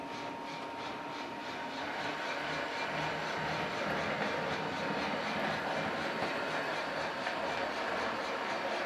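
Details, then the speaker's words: American Flyer Berkshire locomotive running around the track after smoke unit repair, without its tender, smoking well: even rolling rumble with light clatter about three times a second and a thin steady tone; running smoothly and normally. "Unfortunately, he did not send me the tender, so I can make sure the sounds and everything is working as it should, but we're going to run it around the track. Smoking pretty good."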